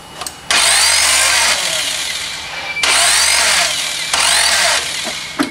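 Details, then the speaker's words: Chevy Cobalt after timing belt job, distributor cap just refitted, battery running down: three long cranking spells, starter whirring hard, engine coughs but never catches and runs; cam timing set incorrectly. "oh man something still ain't right something is right I don't know we'll find out"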